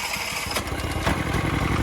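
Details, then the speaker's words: Mitsubishi MGE 4000 generator, sat for years, after carburetor cleaning and fresh gasoline, choke off with auto idle on: steady, even single-cylinder putter with no sputtering, holding speed; about 100 volts output. Normal running. "With the auto idle on, it runs fine now. It's not sputtering out anymore."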